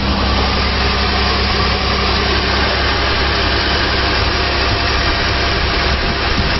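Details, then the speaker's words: 2008 Mazda Tribute (Ford Escape), after replacing the 203-FF bearing in the serpentine belt idler pulley: even steady idle with no chirp or squeal from the belt area. Normal idle. "Okay. Got it back in there and it sounds normal"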